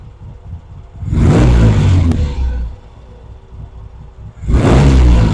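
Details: Vintage British motorcycle rebuilt from boxes, pilot circuit now working properly: two sharp throttle blips rising quickly and returning to a steady low idle; clean pickup, normal throttle response.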